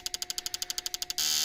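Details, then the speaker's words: Fuel injectors from a 200,000+ km, never-serviced 1.6 F16D3 petrol engine tested on a bench at about 3.8 bar: crisp, even spray pulses about ten per second, then a steady hiss; spray pattern and fill even on all, injectors healthy. "проверяем рассол хороший везде вот наливается более-менее ровно тоже везде такие пироги Так что форсунками вроде все хорошо"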